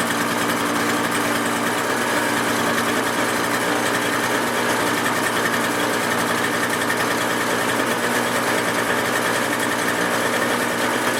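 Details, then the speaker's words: Toro CCR 2000 two-stroke snowblower started for the season on 50:1 fuel mix, primed, choke out: steady even buzz with no misses or surging; started perfectly, running clean. "as you can see started off perfect I run a 50 to1 mix on all my outdoor power equipment especially the snowblower"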